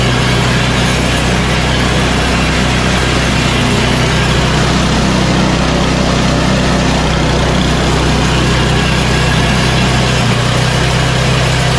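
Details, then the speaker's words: Yard Machines 8HP Tecumseh snowblower after carburetor 632334A replacement and tune-up, full choke and full throttle: loud, steady single-cylinder drone with no surging or hunting; running normally. "this snowball is now completely tuned up it's ready for the winter"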